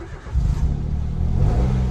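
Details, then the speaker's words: Peugeot 107 first start after gearbox swap, new clutch kit and new exhaust section: short crank, then catches at once and settles into a steady low rumble without stumbling; starts cleanly and runs normally. "it starts that's a little bit that's a good sign"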